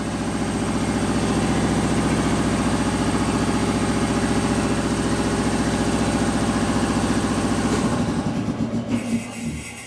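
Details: 1972 Harley-Davidson XL Ironhead Sportster, rebuilt a second time after wasted pistons and a torn-up pinion bushing: steady, even, lumpy twin idle at a slow loping beat with no knocks or ticks, then clean shutdown; oil pressure confirmed, healthy engine.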